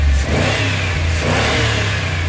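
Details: 2005 one-ton Chevy Express van V8 after a new part for a cylinder misfire; deep rumble picks up cleanly on a couple of quick throttle blips trying to provoke the code, settles back without stumbling.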